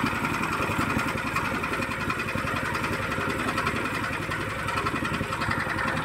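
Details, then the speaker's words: Horizontal dough mixer driven by a 9 HP General Powell CX 270 petrol engine, second start on half a litre of test fuel: smooth, even note at steady speed, no knocking or misses; described as smooth yet heavy because the engine is large. Normal running. "Tadi ya suaranya ya halus ya, ini berat, suaranya kayak berat karena ini besar."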